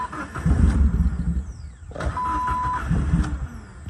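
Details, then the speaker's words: A Jeep Wrangler with a newly fitted starter catches and rumbles unevenly, sags almost to stalling, then hunts. It hesitates badly on start with unstable idle. The owner suspected the catalytic converter, but cutting it off did not help. "Hear how it's hesitating really bad. Yes, dear. Yes, dear. Yes, dear. Shut up. Anyway, sometimes it idles, sometimes it doesn't."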